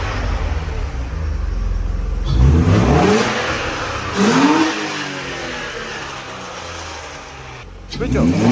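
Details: 1992 Mercedes 190E with M104 engine after parts replacement and fresh fuel: clean rising and falling revs settling back to smooth idle, no tapping or knock; normal revving.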